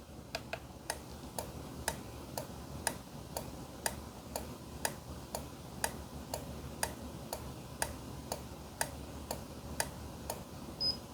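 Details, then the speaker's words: Car AC blower relay (4-pin, 12 V) on a relay tester during no-blower diagnosis: crisp evenly spaced clicks about once a second over quiet hum; tester reads okay, relay functioning properly. "And there you go. It's good. It says it's okay. So we know that that relay is functioning properly."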